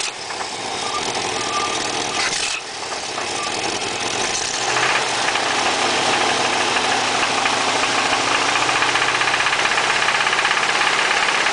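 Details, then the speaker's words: Chevy 350 small-block V8 idling, previous owner reportedly ran it low on oil: steady rhythmic knock about three times a second; internal knock, source unknown (cam, rod, crank, main bearings or piston suspected). "It's making a ticking sound, more of a knocking. Just got this car. I was told the previous owner drove it with low oil, so I was hoping you guys could help me out."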